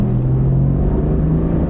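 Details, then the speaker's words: Chevy truck/SUV with about 316,000 miles, full-throttle drag strip run. Deep steady drone under hard throttle, pulling cleanly with no knocks, misses or rattles; engine sounds good, transmission had a slight delayed shift; normal acceleration. "Engine sounds good. Now the tranny had a little delay shift, but really, I'm going full throttle."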